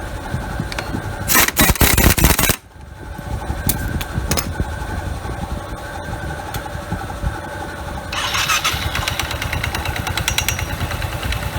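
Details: Yamaha Qbix scooter after replacing front pulley halves and rollers to cure juddering takeoff: engine pulls away and settles into a steady, even run with no stutter or judder; fixed.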